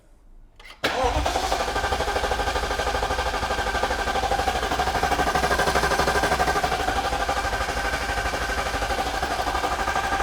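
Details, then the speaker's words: Supercharged Alpina B7 V8, freshly rebuilt from bare block and reinstalled, fuel pump fuse pulled, codes cleared: starter turns engine over at even steady rhythm with no firing or odd clatter before driveshaft and exhaust are fitted; normal cranking. "that's good thanks for help all right that sounds good let's mount up the driveshaft the exhaust and then it's time to start it"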